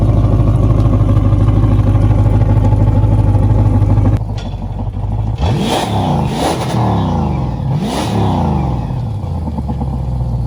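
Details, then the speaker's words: 2008 Malibu VLX wake boat after swapping its oil-burning Monsoon 340 for a small-block Chevy 383 stroker (same cam grind and heads), running after codes were cleared: deep, even V8 burble settling after a rev blip, no knocks or misses; normal running. "Sounds good, dude. I like it."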